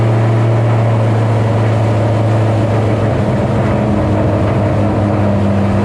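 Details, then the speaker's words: 2007 GT500 supercharged V8 on its first start after installing L&M NSR cams. A steady, fast, even drone well above normal idle with no hunting, from the initial Venomous Tuning tune; a later revision lowered it. "pretty much you saw the car start up idled real high let it go i was looking around at stuff"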